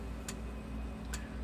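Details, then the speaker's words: Sens O Matic solid-state electric fence energizer after repair, new plug pending: sharp single clicks about every 0.85 s over a low hum, light flashing each pulse, about 7,000–8,000 volts output; normal energizer pulse. "well you hear it flashing and and hear a car here hear it click and see it flashing"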